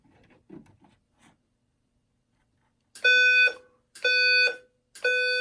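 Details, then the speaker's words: Simplex 4010 panel with a 4003 attached, in walk test, device magnet-tested: three loud, harsh buzzing blasts of about half a second, one each second. The alarm is sounding normally. "Alrighty, so let's start down here, and we can hear how walk test goes on the 4010 with the 4003 hooked up."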